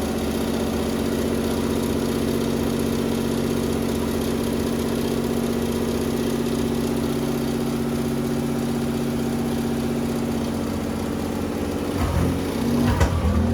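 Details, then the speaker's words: Chevy 4.3L V6 in Willys CJ5 Jeep, exhaust not fully connected so loud: steady fast idle that stays high; owner unsure why, hopes it's because the engine is cold; idle later drops. "I don't know why it's idle up so [Music] much it's loud because we don't have the exhaust it's hooked up the rest of the way have so hopefully the engine's just cold that's why it's out a look so much"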